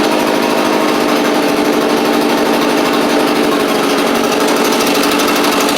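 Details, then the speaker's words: Echo PB755ST backpack blower after carburettor replacement (it barely ran, quit when throttled or taken off choke, suspected bad diaphragm): loud, steady two-stroke howl at even pitch, no stumbling or hunting; now running cleanly. "That's all it needed, which is great. Crank it back up here."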